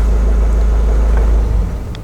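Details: 2017 or 2019 Ford Kuga 1.5 engine that stalled while driving and would not start, after wiring repair: engine catches and settles into a steady low rumble with no misfire or knock, running normally.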